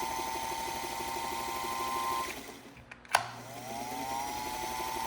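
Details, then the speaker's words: Restored Singer 221 Featherweight after electrical service with rewired motor and light: steady even motor whir, brief stop, then smooth spin back up with no rattle; went from not working to running healthy. "And then we went from not working at all to this."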